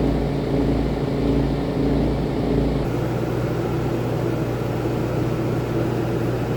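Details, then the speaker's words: RV rooftop air conditioner after repair: smooth, even low hum and airflow with no rumble or rattle. The earlier rumbling was caused by two fan bolts that had come out of their rubber grommets; screwing them back in fixed it. "I just fixed that rumbling noise in my RV's AC and it was because two of the bolts that held the fan in place fell off the grommet"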